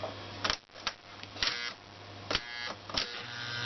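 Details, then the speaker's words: Lionel-type model train snap-action track switch with its controller: a low steady buzz between sharp clicks in one switch position. The controller's status-light bulb keeps current flowing from the track through the switch coil to ground. Solenoid coil buzz. "These things are notorious for buzzing in a specific switch position. So let me hook this up real quick. And the reason being is there's a light bulb inside of this switch controller unit that lights up these little status lights."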